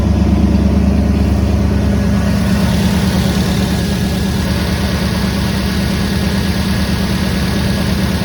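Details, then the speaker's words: 1974 Ford F100 V8 with Holley Sniper EFI, after fixing a crimped fuel return hose that had made the pump bind and stall the engine: deep even idle with steady lope, no misses or ticks, runs like a sewing machine. "But right now it sounds like and it sound like it run like a sewing machine right now. That's what it That is what it's supposed to do."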